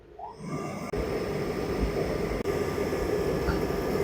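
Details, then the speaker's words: Ariston condensation tumble dryer, empty, powered on: steady motor hum runs evenly with no drum tumbling or rumble, motor turns but drum doesn't; broken drive belt. "Now you can hear the noise only but drum not rotating. This is the problem with this machine."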